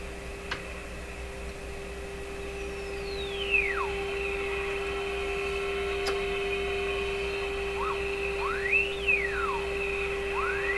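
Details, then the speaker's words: Viking Model 54-51 radio during final alignment: thin whistle sweeping up and down as the dial turns over a steady hum; heterodyne from another station producing a 455 kHz IF signal. "okay a couple things one is you can hear the heterodyning though the tone going up and down as I tuned that's because there's another station producing another 455 in the eye out"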